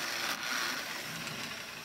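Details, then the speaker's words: Lionel #60 trolley, 50+ years old, on test track after full repair and cleaning, power almost all the way up: small motor gives a steady high-pitched whir, much quieter than its earlier growl, with a slight grind; normal running. "very i nice it runs a lot quieter and better a little grind to it not too bad light works great looks good works"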